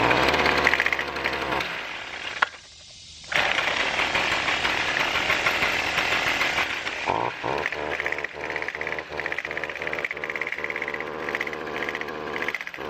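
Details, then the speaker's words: Weed trimmer before repair: it starts easily, buzzes, then sags into an uneven popping stumble and never snaps up to speed; bogging caused by a clogged exhaust spark arrestor screen. "So, As you see, it does run, but it doesn't exactly do what it's supposed to do."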